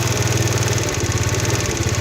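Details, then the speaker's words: Chinese 4-stroke 139QMB/GY6 carburettor, idle mixture screw being turned inward: the idle stumbles and sags with faltering revs, going lean. Backing the screw out slowly brings the revs back up. "and you can hear it dropping off I go back out and just slowly slowly little bit of a time now we can start here it buing up"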